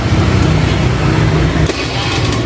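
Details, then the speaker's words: Honda Beat carburetor scooter after fixing starter that only clicked "tek tek" like a dropping battery (actually weak relay in CDI circuit): starts instantly with no clicking, then runs steady and even; normal. "Jadi udah cek skor bang, nggak ada tek-nya lagi. Oh, langsung nyantok lah."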